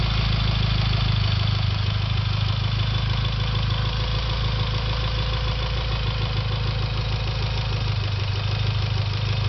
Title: Evo X ticking noise